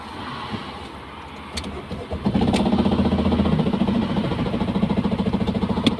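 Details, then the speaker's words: Diesel engine that made a noise while driving, then stalled and would not crank: catches and settles into a hard, uneven metallic knock about three per second at idle; a broken glow plug damaged the engine. "Selam arkadaşlar aracımızda e seyir halindeyken motordan bir ses geliyor bir müddet sonra araç stop ediyor stop ettikten sonra mas çevirmiyor ve aracı çekiciyle atölyemize geldi gelen ses de videodaki gibi"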